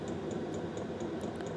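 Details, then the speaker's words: VEVOR Chinese diesel air heater in a garage, set to level 8 and ramping up: quick light metallic ticks about four a second over a soft fan rush, the dosing fuel pump's normal well-known ticking on high. "And yeah, except for that ticking noise, but these are famous for the ticking noise."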